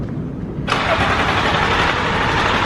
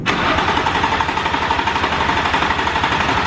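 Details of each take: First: Car that would not start: engine catches abruptly and settles into a steady, even idle without stumbling. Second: Crank attempt with key turned and button pressed to bypass immobilizer: steady starter cranking about four turns a second, no firing, winding down; crank no-start.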